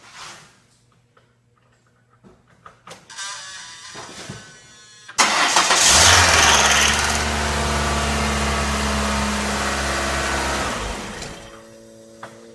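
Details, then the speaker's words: 1997–2002 Ford Escort 2.0 after timing belt replacement and reconnecting the battery: short crank, then it catches cleanly into an even, steady idle with no knocking or slapping; normal start and idle. "Sounds like we're good. Wow. A lot easier than the double overhead cam, but it works, so that's all we need."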